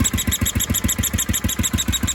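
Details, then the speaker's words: 1976 Sears ST12 tractor single-cylinder, with a small muffler in place of the stack and a new PCV breather and hose. A brisk beat with a new high chirpy squeak each firing; changing the plug did not cure it, and the owner suspects a head gasket or the PCV. "but here we go you can hear that squeaking it's weird [Music] i'm not sure what it is to be honest"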